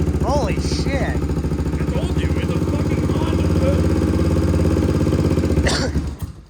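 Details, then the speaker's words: Abandoned 1979 Honda XL500S, unused for about 15 years, fast idle after revival: uneven, lumpy single-cylinder thumping with no knock and no blue smoke. The owner suspects it just needs a carb clean and that gunk from the tank needs cleaning or inline filters. "but basically all it needs from the sound of it is a good carb clean which we'll address later on"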